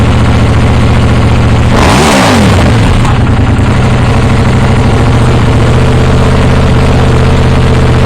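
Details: KTM Duke 790 with new IXRACE MK2 aftermarket exhaust, baffle (DB killer) still fitted: deep, loud, even idle rumble and one sharp rev blip dropping cleanly back to idle; normal, healthy exhaust note.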